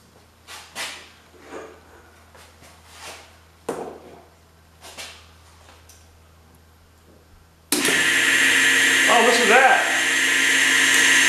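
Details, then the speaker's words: Electric motor rebuilt after a burnt overload switch, with starter switch and thermal cutout refitted: it spins up to a steady hum with a rough, gritty hiss from a worn front bearing, but it runs. "That junk front bearing I put in there don't sound too good, but uh it runs."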